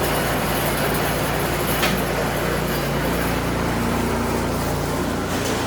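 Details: Craftsman snowblower after tune-up and fresh 5W30 oil, run through the forward and reverse gears with the auger engaged. The engine holds a steady, even drone under light load with no knocking or grinding; normal running.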